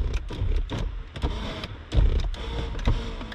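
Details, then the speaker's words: 1994 Cadillac Fleetwood 5.7L LT1 front power seat: short bursts of electric motor whirring starting and stopping cleanly with light clicks; all power adjustments working normally. "those are all working well we'll test out the driver side"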